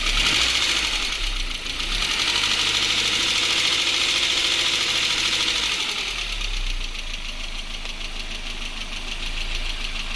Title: Стук в моторе.mp4